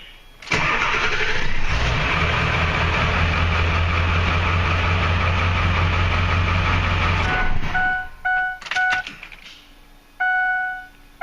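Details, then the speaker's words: 2002 Ford F250 Super Duty Powerstroke diesel, new glow plug relay fitted, after sitting inside: glow plugs stay energized after the wait-to-start light goes out; it cranks briefly, catches at once and settles into an even diesel clatter; normal start. "Even though the wait to start light goes out, the glow plugs are still energized."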